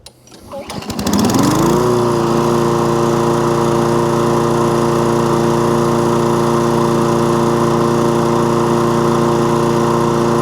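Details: Toro Recycler lawnmower with an intermittent fault, restarted: brief crank, revs up, then settles to a smooth, even hum with no surging or dropouts; fault not showing, normal running.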